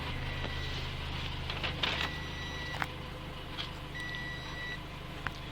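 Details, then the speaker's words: 2017 Toyota C-HR with newly installed SkyBrake contactless immobilizer with motion sensor, engine idling while stationary; tag lost, short electronic beeps in uneven bursts warn that the tag isn't being read, engine will be blocked once moving. "Notre immobilisation a commencé soumettre avertissement des signaux qui marquent nous ne lisons pas. Voici notre étiquette, il est batteries."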